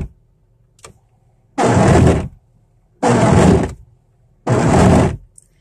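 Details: 1998 Oldsmobile Cutlass wiper blades chattering across the windshield in three rough buzzing sweeps about 1.4 s apart, before cleaning and treating the blades with WD-40 in cold pre-winter weather.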